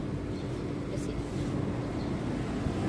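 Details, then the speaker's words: Isuzu Crosswind, front brake caliper holder removed, front hub turned by hand: a low, rough rumble (ugong) with free play, worse at speed; owner hears humming, clicking and creaking underneath while driving; worn front wheel bearing. "Maugong to eh. Lalo pag mabilis yung takbo."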